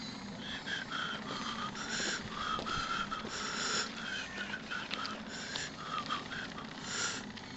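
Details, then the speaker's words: Model steam ocean tug Resolve at full throttle on both independent propeller shafts; the servo-driven feed pump, which sends very little water, is heard as short repeating whirring bursts over a low hum, operating normally. "à fond ce que vous entendez c'est la pompe parce que la pompe envoie très peu d'eau"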